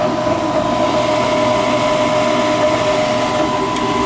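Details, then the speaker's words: Gas furnace after repair of no-heat and burning-smell fault, calling for heat: steady even blower hum, constant mid-pitched tone, no knocking or scraping; normal furnace operation. "she's heating you're always going to be happy now right"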